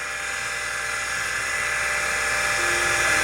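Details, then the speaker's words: Convergent AWS Turbo original CM5616 MFM hard drive, 256 cylinders, 6 heads, booting CTOS: harsh steady high whine with hissy rasp over spin; sounds awful, worn and near failure, though drive works. "we need to image it soon before that goes that bad because that sounds awful"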